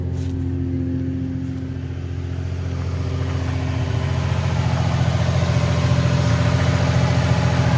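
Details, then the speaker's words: Nissan 350Z, six-speed, 176,000 miles, idling: the engine runs smooth, with a loud, steady low exhaust hum that swells as revs creep up; exhaust drone, described as the terrible noise these cars make from the exhaust. "But the engine runs smooth. It's a very good sounding engine. It's the exhaust that's the problem with these engines at least."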